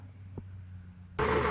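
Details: Standard Modern lathe after repairing the bull gear's missing tooth by pinning and filing, not brazing: quiet background, then steady even whir with no knocking from the gear train; running smoothly.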